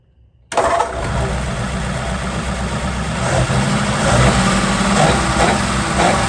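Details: 1947 Ford that wouldn't start, being fixed after brake overhaul: cranks briefly, catches at once, then settles into an even, steady idle with no knocks or misses; healthy running.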